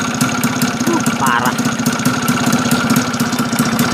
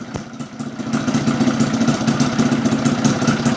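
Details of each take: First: Yamaha F1ZR two-stroke that lacked power and wouldn't rev, after adjusting the reed valve (membran): steady, fairly even popping idle with no misses; smoother than before the fix. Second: Yamaha Fiz R two-stroke lacking power, after adjusting the reed valve (membrane) area: idle with uneven clattery tick about three times a second over rattly buzz; engine still sounds rough though better than before; cause not yet pinned down.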